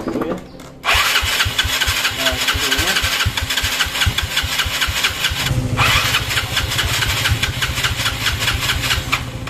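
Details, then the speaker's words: Yamaha Mio scooter: the starter keeps cranking at about five beats a second but the engine never catches, as if the carburetor were flooded; the mechanic suspects the carburetor area. "Jadi, masalahnya adalah sulit untuk memulai. Eh, bahkan tidak mau menyala. Saya menduga ini adalah masalah yang serupa. Kedengarannya seperti ingin menyala tetapi sama sekali tidak mau menyala."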